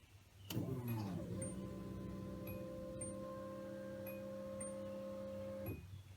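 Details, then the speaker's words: Nissan 240SX S13 with newly installed Walbro 255 fuel pump, key to accessory, heard from above the pump: steady electric hum and whine for about five seconds, then cuts off cleanly; primes normally. "I'm gonna go start the car well I'm going to go turn on accessory to see if it primes and if it does we'll hear it"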